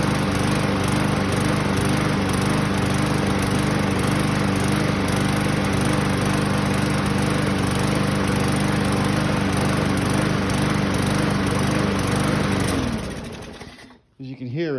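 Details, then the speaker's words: 2015 Yard Machine mower, Briggs & Stratton 140cc, after carb cleaner spray; previously ran a few seconds and died: runs steadily but stumbles and misses every so often; a lean miss from a missing carburetor o-ring. "missing a little bit uh but it does run now before that it would just run in for a couple seconds and shut off"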